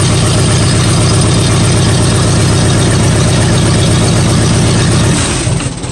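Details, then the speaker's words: 1959 Series One Allis-Chalmers D-17 farm tractor at first start-up after rewiring and an alternator install: steady, even low thump about four beats a second with no misses. Sounds a lot better; normal idle. "good thing it didn't start there alright wait that sounds a lot better"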